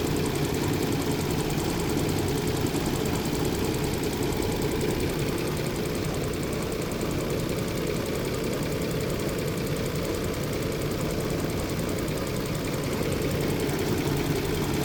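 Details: 2006 Nissan Xterra, 156k miles, hot engine at low 750 rpm idle: dull, somewhat uneven knock from the bottom end, gone at 900 rpm and when cold; oil light comes on after 30 minutes. Cause unknown.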